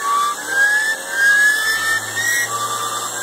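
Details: BMW E36 M3 at idle: a thin, steady high-pitched whine wavering slightly with engine speed. Not cured by a new alternator; gone after replacing the main tensioner and pulley, and the pulley was found rough when spun by hand.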